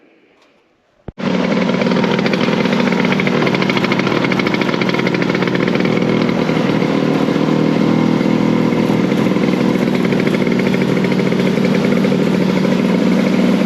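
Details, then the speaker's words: 1970 Ski-Doo Olympic two-stroke snowmobile after new front and rear drive sprockets, bearings and seals, chain case refilled with 10 oz oil, run to check track alignment: catches and settles into a steady, buzzy idle with no knocks or misses; normal idle. "New drive sprockets on, and these rear sprockets. Track's all aligned. Seems to be idling good."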